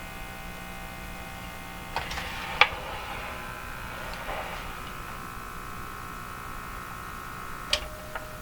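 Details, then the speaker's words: Hallicrafters TW2000 communications receiver during a precise IF alignment, with a scope connected and a sweep running: a steady low hum with buzzy overtones and odd clicks under the speaker noise. Mains hum has suddenly appeared, source not yet found. "Oh, what a mess. Where did this horrifying hum come from?"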